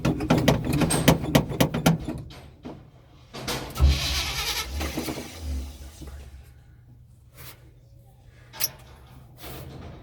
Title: Hard starting the 1984 chevy